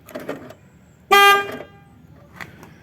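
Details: 2010 Ford Transit Mk7 LWB camper on pressing lock: lock clunks and a single short horn beep, van refusing to lock because it sees a rear door open; broken wiring in the rear door hinge loom, repaired by soldering.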